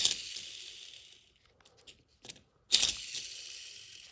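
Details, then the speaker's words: 1993 Honda Civic EG Si, clutch out for a hard shift and grind: throwout bearing spun by hand turns far too easily with a loose, hissy whir as it coasts; worn bearing that cut into the pressure plate, metal on metal. "this bearing is shot so not too sure what kind of a bearing this is but you can hear it it should not be this easy to spin by hand first off second off you should not be able to hear it"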